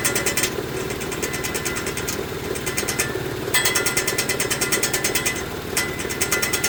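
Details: 2018 Mitsubishi Mirage GS at idle: fast, sharp metallic ticking, roughly three per second, with brief gaps; an unidentified rattle.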